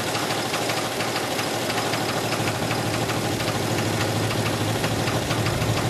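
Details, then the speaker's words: 1980 Oldsmobile Cutlass idling at its first start after sitting almost two years. A hard, fairly even knock about three times a second; owners suspect a rod, possibly a lifter, not confirmed: engine knocking. "all right do you think it's a rod it might be let me hear the idol though real quick"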